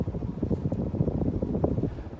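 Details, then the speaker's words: 52-inch antique copper Tyeb ceiling fan, variable speed and non-reversible, on high speed; a steady rush of air off the blades with no rubbing or ticking, running healthy. "as you'll see it more runs off speed as I go ahead and crank it up to high you'll really be able to hear that air whipping around"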